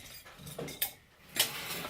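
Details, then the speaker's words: Loose refrigerator compressor, removed and opened, being tipped: two or three light metallic clinks from the internal springs sitting on top of the four pins; a normal rattle, nothing wrong. "the noise that you can hear like this. It's normal because the springs are on top of those pins, and you can hear that noise."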